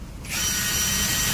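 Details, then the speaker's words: New brushless cordless impact wrench (INGCO 500 Nm) in a two-wheeler mechanic shop, run on its high setting after low and medium: sharp, steady high-pitched whir rising to full speed and holding evenly; normal high-speed run. "అది ఈ sound చూస్తే కనుకోవచ్చు అనమాట. మనం అసలు ఎంత fast తిరుగుతుంది ఎంత high machine అనమాట."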